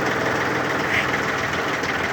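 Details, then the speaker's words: Yanmar mini tractor (F13D/F15D, 13 hp) three-cylinder diesel, 4WD, about 700 hours, tiller switched to maximum of three PTO speeds: steady even drone, no knocks or hunting, normal running under PTO load. "три скорости у нас идет три скорости на валу отбора мощности очень мягенько Давайте максимальную включим"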